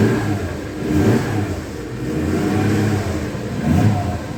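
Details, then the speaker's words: 1976 Dodge D100 slant six with a dry carburetor, in neutral after long cranking: the engine catches and revs in uneven surges every second or two before settling; gas was later seen pouring out of the carburetor. "let's Crank It Up see if she'll start almost come on [Music] baby carburetor is gone [Music] dry"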